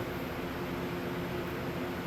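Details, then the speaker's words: TH400 transmission in a Trans Am, rebuilt after a poor shop rebuild, possibly bad converter: steady airy hiss with faint tone, like air through water, from pump/converter area when put in gear; different pickup tubes didn't help. "But now, when you put it in gear, it would make this noise coming from the pump converter area like air through a water"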